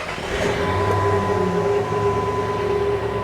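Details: Jeep WJ 4.7L replacement engine, about 600 miles, after a cylinder 1 misfire code, new ignition coil and cleared codes: idle holds steady and even with a faint whine, no stumble; normal idle, misfire seemingly cleared.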